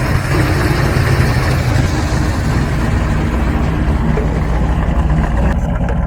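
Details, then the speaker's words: Carbureted V8 tuned for northern Alberta winter, cold start after throttle adjustment, mic at exhaust: deep steady burble, idle rising properly on choke with no stumble; normal fast idle on choke. "okay so we're down here by the exhaust and we want to be down by the exhaust because this is an easier place for us to hear the idle coming up and you can hear it it's coming up it's actually working properly"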